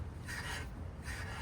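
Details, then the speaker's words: 2010–2017 Chevy Equinox/GMC Terrain rear parking brake shoe replacement, adjusting the shoes with a screwdriver through the rotor hole while spinning the rotor. Light scraping rub twice about 0.8 s apart as the shoes just start to bite: correct adjustment. "can hear it just starting to bite on the rotor. That's exactly where you want it."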